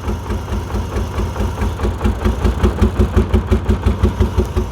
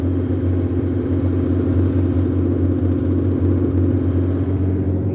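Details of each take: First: 1989 BMW 535i E34, M30B35 straight-six, crank-no-start: lumpy, uneven idle pulsing about three times a second, stumbling and never smoothing; owner suspected fuel. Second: 1989 BMW E34 535i, M30B35 six, after new spark plugs cured the misfire, running with the exhaust cut off: loud, open exhaust note but a steady, even low idle with no misses. Normal idle.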